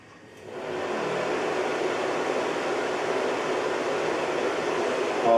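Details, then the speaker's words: Carver Fanmaster caravan heater 12 V fan after repair (cleaned, end bearings greased, brushes fine): spins up to a steady smooth whoosh, no grinding, far quieter than its noise before failing. "while the fan itself you can hear working. I don't think it's excessively noisy."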